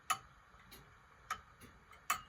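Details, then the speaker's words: Antique grandfather clock just after bending the crutch wire one way, heard through an amplifier; sharp ticks about every 0.6 s, alternating loud and soft with uneven spacing, going off a bit; clock out of beat. "It's going off a bit."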